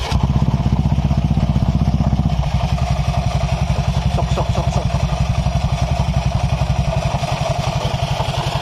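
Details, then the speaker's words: 2020 Honda Vario 150 scooter idling with CVT noise complaint: rough clattering "klotok" knock from the transmission; spraying WD-40 on the secondary (driven) pulley bearing changes the sound, identifying a worn secondary pulley bearing. "semprot nih sebagian sini pakai WD di bagian pinggir pipil atau di bagian puli ya untuk mengidentifikasi bahwa suara yang bunyi sok sok sok sok itu dari pibel"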